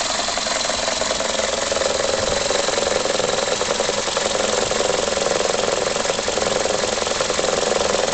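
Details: 2004 facelift Toyota Corolla E12 1.6 VVT-i 3ZZ-FE at idle: steady, loud idle carrying a faint uneven pulse about three times a second, no obvious knock; rough idle, cause unknown.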